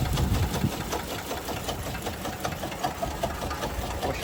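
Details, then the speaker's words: Toyota Kluger at 331,000 km, started after sitting for years on 10 litres of fresh fuel: light, rapid ticking knock over an unsteady, weak idle; engine sounds unhealthy and smells cooked, cause unknown. "the fired right up but she doesn't sound very healthy at all"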